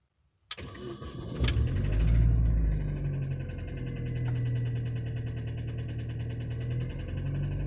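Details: Mini Cooper S R53: engine cranks, catches and revs with a light metallic rattle/knock over the running note; it came on suddenly while cruising, cause unclear.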